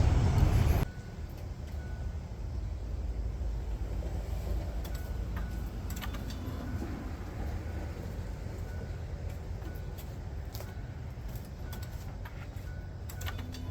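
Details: 2006 Ford Five Hundred after a misfire fix and complete tune-up, fuel pump primed: brief start burst then low, even idle hum with steady pulses, no stumbles, misses or rough idle.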